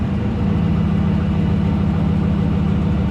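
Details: 2003 Dodge Ram 1500 Hemi V8 at about 420,069 miles, started after replacing the part causing a small evap leak (P0456 code), heard from underneath: deep, steady idle with even low rumble, no hiss, stumble or knock; normal idle.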